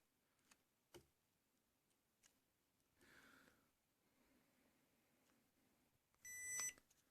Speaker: so this here is what happens when it is not lined properly you will hear a beeping and the lights will constantly Flash from green to blue to indicate that the charger and the phone are not aligned properly